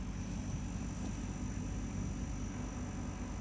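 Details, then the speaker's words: Vehicle with Optima batteries, engine off after running: quiet steady low hum of the fridge compressor, no clatter; running normally, adding load on the battery. "That's the compressor running, so that's putting a higher load on the battery."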